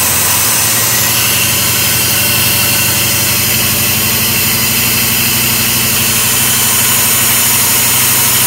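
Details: LT4 hot-cammed SBC Vortec 350 V8 with Ramjet intake and 0411 PCM, still being tuned, with an IACV problem and start-up cranking trouble with backfire: loud, lumpy, uneven loping idle that hunts; unstable idle, cause suspected, not confirmed.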